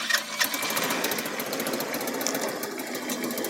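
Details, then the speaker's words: Cheap buggy's small engine starting after fitting a 120 jet during carb tuning; quick light ticking settling into an even steady idle, no stumbling; normal start and idle, engine hot. "perfect no problems wo it's hot"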